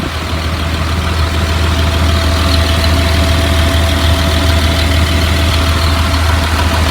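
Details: 2004 Blue Bird All American 72-passenger school bus diesel at idle: deep, steady, even low rumble with no knocking or ticking rising above it; engine sounds healthy, automatic transmission engages.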